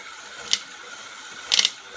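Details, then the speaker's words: Precor EFX 5.17i elliptical, belts already treated with conditioner: sharp bright clicks and quick rattle-like burst over faint hiss, occurring only when the left pedal is pressed down under weight. "it seems to be that the ticking noise is on the left side only when you put your leg down"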